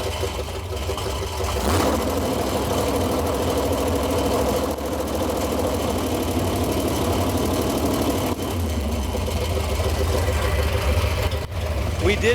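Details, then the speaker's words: 1968 Dodge Coronet V8 four-speed, long off road, warming up on water: lumpy idle with tinny metallic buzz on exhaust beat; header collector flanges vibrating, stops when held. Exhaust flange rattle. "determine that the noise that you're hearing is the collector flanges. They're uh vibrating."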